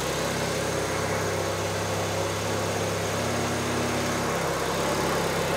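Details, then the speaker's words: Honda Civic D16 turbo, first start after new turbo kit installation, cold start needing work: loud, slightly lumpy idle with heavy droning exhaust and no clear misfire, running very rich before fuel was taken out. "it's very richer than moment let me see if it needs to clear out it's very rich yeah I just uh took some fuel out"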